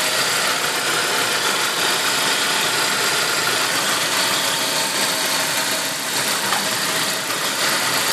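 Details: Saab 9-5 turbo engine, turbo 10,000 km old, running E85, not fully cold (about 30 °C). A steady high hiss and whoosh over the idle with no clear knock; the owner has no idea of the source.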